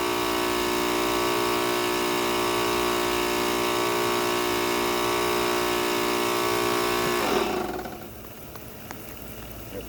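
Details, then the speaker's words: Ryobi RY142711VNM electric pressure washer with a new CBB60 120 µF motor run capacitor, water on: motor and pump hum steadily for about seven seconds at about 3.5 A running current, then switch off and wind down; running fine. "It's only pulling 3 and 12 amps once it gets started. And it seems to be running just fine."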